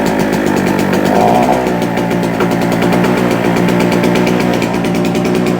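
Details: Normal running of a JCB two-stroke generator after a couple of years unused, possibly with too much two-stroke oil in the fuel, putting out 200 volts: steady, rapid buzz at even speed without stumbles or surging.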